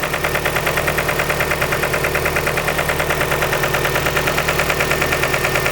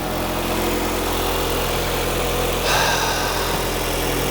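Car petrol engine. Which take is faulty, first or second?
first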